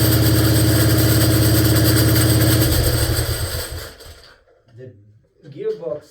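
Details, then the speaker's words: 1947 BMW R35 motorcycle started after sitting for decades: loud fast thumping engine, about 200 beats a minute, with coarse rattling drone, then it dies; gearbox sounds terrible, cause unknown, owner notes it is not drawing fuel. "sounds just terrible. I don't know what's what's wrong."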